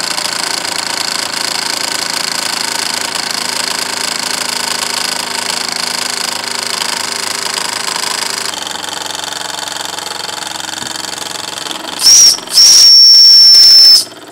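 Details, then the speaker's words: Wilesco D6 model steam engine: fast light chuffing, then a shrill high steady whistle in two blasts that bleeds off a lot of boiler pressure. "here how much the B down lost a lot of pressure when we do that low pressure from running that whistle"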